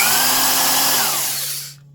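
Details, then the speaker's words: 1970s Craftsman Commercial 1/2-inch corded variable-speed impact wrench running free: steady, even, lower-toned motor whir with modest airflow, no knocks or rattles, winding down smoothly at switch-off. Normal free-running motor. "not a ton of air flow but not very noisy when it's just running it's just like a an old school Royal"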